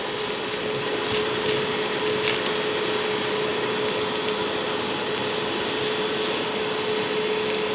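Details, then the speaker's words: Hoover WindTunnel self-propelled upright vacuum, a curb find, with plenty of airflow so the motor is judged good. Steady, strong motor roar with an even tone and scattered ticks of debris. Normal suction motor running. "you know it certainly has plenty of airflow I'll give you that so the motor is in good shape"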